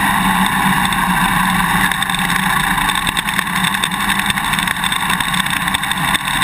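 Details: GoPro Hero 2 mounted on a motorcycle swing arm while riding: rapid irregular clicks over loud engine and road roar. The quick-release buckle is rattling in its mount; electrical tape between bracket and buckle cures it.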